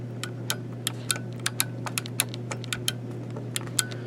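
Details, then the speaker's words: Arcade 1Up TMNT cabinet joystick after it was soldered back together: crisp, sharp clicks about three a second, unevenly spaced, over a low steady hum; nice and clicky, switches working normally after repair. "so as you can hear nice and clicky so that's what we want see"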